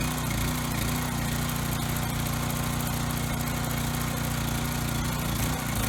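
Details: Coleman Powermate Pulse 1850 generator, surged when last run over a year ago, after carb cleaning and new fuel lines and filter, air box refitted. Steady, even small-engine drone with no hunting or surging. Needed no adjustment; setting two and a quarter turns out.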